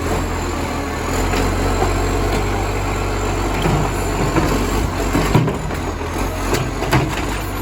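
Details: Moreland garbage truck #FN11487, a spare 22m flat-faced Acco-cab diesel with a massive exhaust leak, recorded from the exhaust side: deep, raw, unmuffled roar and rasp, far louder than it should be.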